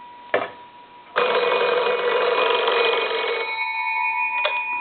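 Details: Old wood wall crank telephone, most likely a Kellogg, after repair, ringer tested on an analyzer. Bright, fast, even bell ring lasting a couple of seconds with clean tone throughout; normal ringer bell.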